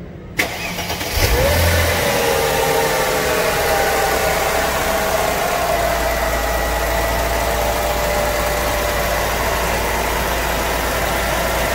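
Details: Mercedes-Benz after replacing the fuel pump, float sender and fuel filter with original parts to cure long cranking: brief crank, catches within a second, then a steady, even idle; normal start and idle.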